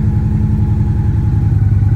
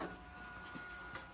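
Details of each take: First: 2014 Victory Cross Country, nearly 70K miles, first cold start since November storage, fuel pump whining at key-on: deep lumpy V-twin idle with steady loping beat, no knocks or rattles; normal idle. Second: 2014 Victory Cross Country motorcycle with almost 70K miles, first cold start since November storage: at key-on the fuel pump gives a thin, steady high-pitched whine, priming louder than it should.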